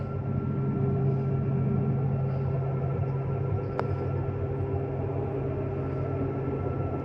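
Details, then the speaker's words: 2013 Keystone Cougar 21RBS travel trailer slide-out extending: constant low motor hum with steady pitch and no grinding or straining; the bottom leans out first because of where the motor sits; normal run. "The bottom always leans out first. Same thing coming in, the bottom will lean. That's just where the motor's at."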